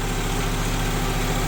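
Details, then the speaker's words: 1974 VW Passat B1 with a swapped GTI engine, first run after setting ignition timing, with no throttle cable connected and grease burning off the exhaust. Steady, even low idle with no knocks or misses: normal idle. "And as you can hear, the engine's running sweet."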